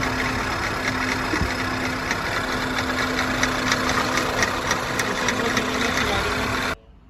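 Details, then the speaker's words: Skoda Superb 1.8 TSI petrol with misfiring, hunting idle and oil light, engine visibly shaking: uneven, stumbling idle pulses with irregular ticks; a cam position correlation code is set and the cam adjuster sensor was removed for checking. "है हालत देख लो engine किस तरीके से हिल रहा है बहुत जबरदस्त ड़ी गाड़ी रात में आई हमारे पास में करेंगे इसका हम मसला हल तो मैंने आपको बताया यह गाड़ी किस तरीके से यह मिसिंग कर रही थी"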